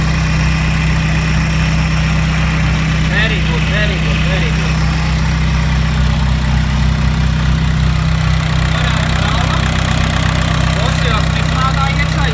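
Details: Audi A4 B5 quattro 1.9 PD diesel, first start after ported head, Bosio race parts, GT2260 turbo and custom exhaust manifold: loud, steady idle with even low clatter, no misses or knocks; running healthy.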